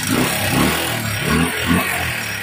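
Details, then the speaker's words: Honda TMX125 Alpha with its block assembly replaced by a mechanic long ago: revs unevenly with a loud metallic rattle over every blip. Still very noisy after the new block; cause of the top-end clatter still unknown. "Napakaingay pa rin mga bossing."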